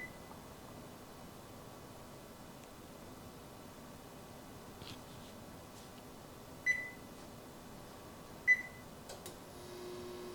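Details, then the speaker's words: Frigidaire Gallery FGIH3047VFB induction range, about 2 years old, recorded on the camera mic: two control beeps, then a steady faint buzz with a thin high whine from the induction coils, likened to angry mosquitoes; every coil buzzes. "you can really hear that it sounds like a thousand angry mosquitoes so I miss the Silence of my electric stove"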